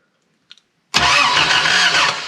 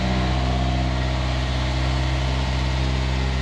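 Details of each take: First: Toyota KE70 Corolla cranking: starter spins the engine steadily for over a second but it never catches; spark is confirmed present. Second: Toyota KE70 Corolla running again after many setbacks and no-start: firm, even idle with a steady beat lifting slightly in revs near the end; no knocks or misfires, runs fine.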